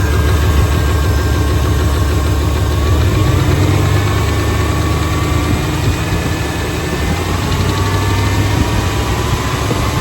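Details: Used 350 5.7 Vortec V8 from a 1996 GMC truck swapped into an 1989 truck: deep idle with uneven knock that comes and goes regardless of engine temperature; oil filter clean, no metal; piston slap, lifter tick or rod knock suspected.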